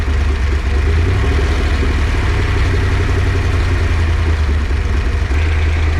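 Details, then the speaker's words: Freshly built 408 stroker small-block Ford Windsor, run with some heat in it, on break-in oil: a deep, even idle with no knocks, ticks or misses. It sounds good. "sounds good running the car that's for sure yeah so we'll just do probably what three or four more heat cycles and shove it in"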